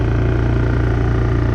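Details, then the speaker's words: Honda EU3000is inverter generator after carburetor cleaning (previously ran only on choke), eco throttle off, revs up: firm, even drone with steady deep throb, no misses or surging; normal high-speed running. "I guess after a minute it just worked. See, eco throttle off, revs up,"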